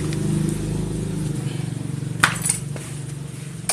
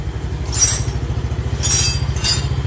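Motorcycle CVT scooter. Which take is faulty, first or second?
second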